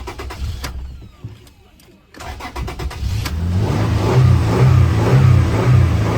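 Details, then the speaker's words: Toyota Tacoma 4.0L, no codes, dies suddenly and restarts but won't stay running after both oil control valves checked and replaced; catches and runs rough, surging about twice a second, stalls unless throttle feathered high; owner suspects slipped cam/chain, unconfirmed. "So there's no codes on it, and I can feather the throttle and keep it running up here at 3 or 4. But I can't hold it steady. Holding it steady, it instantly dies."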